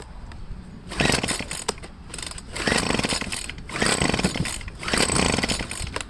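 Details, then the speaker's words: Handheld two-stroke blower, cold start after priming with the purge bulb, on full choke: it fires in short raspy bursts, surges and dies. It ran better the day before; the owner suspects the carburetor and plans to disassemble it. "Give it full choke. Not too cool. Might have to take the carburetor apart. It's no good."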